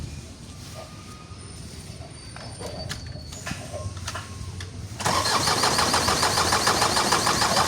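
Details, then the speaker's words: Isuzu 4HL1 diesel, won't start after sitting one day; fuel pump primes firm: starter cranks at a steady even beat, never fires. Crank no-start; suction control valve (SCV) on the pressure pump to be replaced next. "So ayaw pa rin umandar siya guys."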